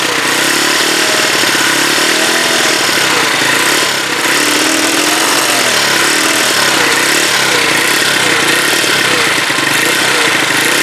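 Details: Huoniao HN125 single-cylinder, later restart with the battery on charge, to check whether it sounds better: crisp, even tick from the top end, revs swelling a little, tappets sounding quiet. Normal idle.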